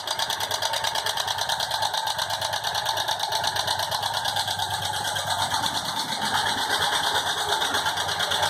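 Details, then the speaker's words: Motorcycle engine idling with a fast, uneven rattly ticking at about three per second, source unclear; no smoke, valves adjusted and all adjustments done, yet the strange engine noise persists. "com um barulho estranho no motor. O que pode ser?"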